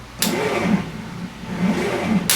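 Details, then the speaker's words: Massey Ferguson T20 tractor: slow labored cranking with few compression strokes and no firing; battery reads 12.9 V at rest but drops to 5 V while cranking, too weak to turn it over. "Yeah, it goes right down to 5 volts. So, there's no way this is going to turn over."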